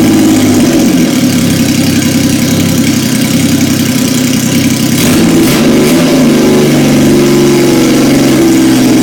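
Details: 1977 Yamaha XS750, first start in 30 years after carb rebuild, velocity stacks, new throttle cable, fresh oil and filter, new plugs, auxiliary fuel tank: engine runs loud and even, picks up cleanly on light rev; normal running.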